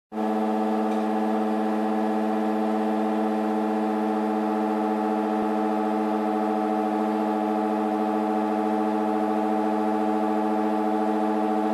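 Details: LG F1403RD washer/dryer running a timed night wash makes a loud, steady, siren-like droning whine at one pitch; the source is unknown.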